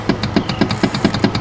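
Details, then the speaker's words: 1995 Yamaha Wave Raider WaveRunner: pressing start gives only rapid, even solenoid clicking from the electrical box, about seven or eight a second, with no cranking; bad starter solenoid/relay, replaced. "Every time we hit the starter, all we get is a click from the solenoid. The starter's not actually turning over."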